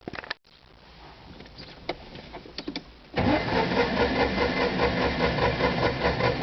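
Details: Citroën 2CV6 Club: after a quiet pause the starter spins the engine with an even churning beat for several seconds but it never catches; crank, no start.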